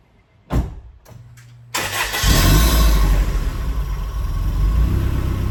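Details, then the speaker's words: 1993 Asuna Sunfire, warm engine restarted after sitting half an hour, following coolant temperature sensor replacement for hard warm starting and flooding; short crank catches almost at once into a steady, even idle, no sputtering; normal warm start. "Well guys, not so bad. It just started by itself without any spottering. So hopefully that has fixed the issue. It's sounding pretty good now."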